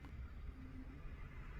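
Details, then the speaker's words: Steering rack play taken up by loosening the locknut and turning the steering gear adjuster screw in half a turn; front wheel rocked by hand now gives only a dull low rumble, no knock or clunk. "仔细听，异响声消失。"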